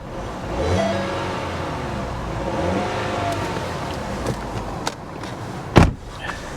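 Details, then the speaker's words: Salvage auction car with notable blow-by, after a jump start: engine climbs and falls through a clean rev with no ticking or tapping, smooth return to idle; normal revving. "it revs fine no funny noises ticking tapping"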